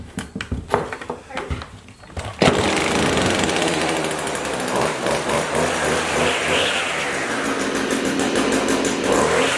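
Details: Stihl trimmer, previously bogging down, after cleaning its carbon-clogged screen: the small two-stroke starts and revs cleanly, pitch climbing and falling without bogging.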